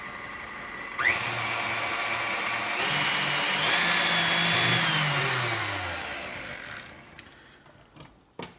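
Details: Heavy-duty KitchenAid stand mixer after repair: two loose rear nuts (one missing) tightened and glued; it whirs up, runs smoothly with a steady motor whine, no rattle, then spins down.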